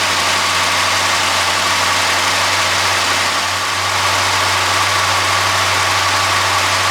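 The petrol engine holds a smooth, even idle with a steady hum and no knocking or rattle. It's running healthy.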